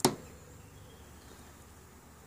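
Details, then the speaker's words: 2006 Suzuki GSX-R1000 K6, wheel turned by hand while pushing on the chain; two sharp single clunks about two seconds apart at the front sprocket, which moves back and forth; owner suspects loose sprocket nut, worn sprocket splines, or worn output shaft splines. "as I rotate the chain if I push the sprocket let the Qiang you get a clunk this is the clunk I'm game there you go and again"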